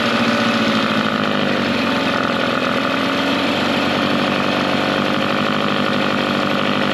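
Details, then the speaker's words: Mercury 9.9 hp two-stroke short-shaft outboard, believed early 90s, revived after years sitting; carb and plugs upgraded. It idles in gear in a test tank, watched for stalling, with a steady even burble, a touch high, no misfires; normal idle. "just gonna let it idle here for a little bit in gear it doesn't sound too bad where it's at right now and it's coming pretty perfect so we're just gonna let idle see if it stalls out at all"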